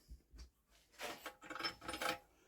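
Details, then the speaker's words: Old 50cc BSA engine unused for years, turned slowly by hand with recoil removed: dry scraping rasp in short strokes; owner suspects flywheel catching on the tinwork, not confirmed. "is it just catching on this thing what I don't know sounds like this engine's actually catching on the tin work"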